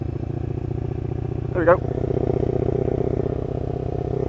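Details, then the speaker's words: Lexmoto LXR380 single-cylinder with full performance exhaust and new ECU, riding at very slight throttle: steady thump with a rhythmic surging pulse, not dropping out like a misfire; owner suspects low-down fueling map, not a miss. "however if we ride with the throttle just slightly open and I mean just slightly open it gets into this sort of pattern and it almost sounds like you can hear the individual injectors or some it's very strange"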